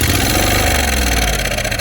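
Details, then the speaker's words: John Deere LT166 riding mower, 16 hp Briggs & Stratton V-twin, first start with fuel poured directly into the intake, no choke: catches and runs strongly with an even beat, no knocks or misses; a working engine. "yeah, this engine runs. That is incredible. We have a working V-twin."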